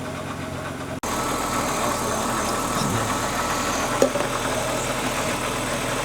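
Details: BMW E36 running again after EWS immobilizer delete, loose ground cable later found: after brief silence the engine catches and holds a steady idle with faint ticking rhythm, running on without stumbling.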